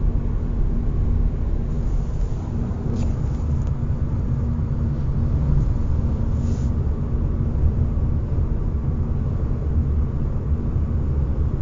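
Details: 2021 Hyundai Ioniq facelift: steady humming/whistling while cruising over road rumble, louder with speed from 50–140 km/h; unchanged in neutral at 130 km/h and after swapping winter to summer tires, varies in loudness with asphalt; dealer calls it normal.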